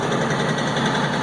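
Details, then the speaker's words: LS XR4155 tractor diesel idling at almost 1200 rpm by itself with the throttle all the way down: fast, steady idle, slightly uneven beat; owner hopes water in fuel but doubts it; erratic high idle, cause unclear. "all right guys I'm not doing nothing with the uh throttle on this it's sitting at almost 1200"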